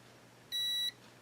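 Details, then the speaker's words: Yaesu FT-901DM transceiver with no transmit drive and no audio: continuity tester across a relay contact gives one short high beep only when the contact is pushed up; the contact needs bending up slightly to close, restoring audio. "as you can see here when I push that contact a little bit up it makes contact so this this contact needs to be bent up just a hair so it'll make contact"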